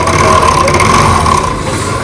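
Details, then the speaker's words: TVS Jupiter scooter engine running with a harsh, very loud metallic clatter and rattle, suspected cracked connecting rod bearing; engine then opened to show the connecting rod. "क्योंकि इसमें engine में से काफी ज्यादा आवाज आ रहा है इसमें बेरिंग क्रैक के बेरिंग क्रैक के रोड दोस्तों काफी ज्यादा आवाज आ रहा है"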